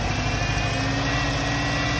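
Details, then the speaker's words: Petrol engine (2000 Buick LeSabre or 2012 Chrysler 300 SRT8) with the throttle position sensor unplugged (0.04 V): an uneven, stumbling idle. Misfire and very rough running. "so again like running my garbage you can hear something that's a misfire"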